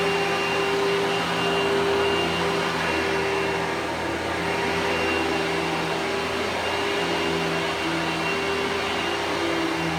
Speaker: so this is a much more pleasant sounding motor so this is a better vacuum even though it might not be as powerful